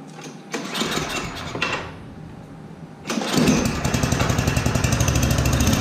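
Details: Yard Machines 8hp two-stage snowblower, unserviced for years, 45 psi compression, primed and choked with little gas; after a rough start it settles into a fast, slightly uneven putter that rises and sags: hunting idle, idle circuit most likely clogged, carb to be cleaned.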